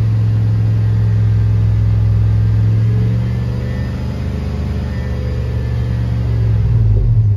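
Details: Chevrolet Tahoe at idle after a new oil pressure switch was fitted, checked for leaks: deep, steady low rumble with an even pulse, no tapping or misses; healthy, smooth idle.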